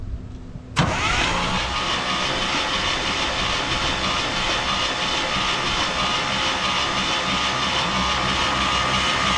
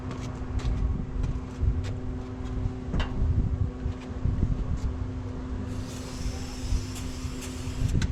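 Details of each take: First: 1968 International 1100C truck, engine from a 1976 Scout II, cranked with spark plugs out to expel Marvel Mystery Oil from cylinders: sharp start then fast even starter spin, no compression beats or firing. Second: 1968 International 1100C truck with engine from a 1976 Scout II, first start in years on ether: lumpy uneven running with irregular pops and wavering idle; rough, a little smoky from Marvel Mystery Oil, not yet tuned.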